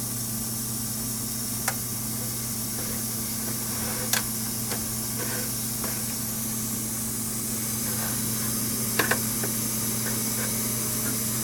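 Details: DFI LANPARTY UT nF4 SLI-DR Expert socket 939 motherboard giving a steady, even hiss over a low mains-like hum with faint clicks; cause unknown.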